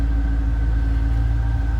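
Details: 2007 Ford Mustang Saleen S281 Supercharged coupe, 4.6 L supercharged V8, 13,641 miles, idling: deep, even burble with faint steady supercharger whine, no misses or knocks; healthy normal idle.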